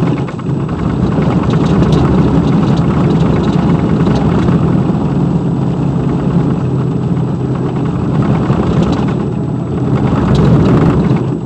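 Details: 2002 Silverado 2500HD under way: heavy low rumble with uneven droning throb following road speed; center driveshaft support bearing broke off-roading in snow; broken driveshaft center support bearing noise.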